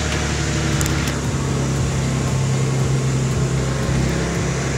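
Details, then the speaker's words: 1991 Nissan 300ZX Twin Turbo, looks near new, being considered as a project: smooth, even, low idle hum holding steady with no knocks or misses; engine purrs and idles healthily. "thing really purse man I like it"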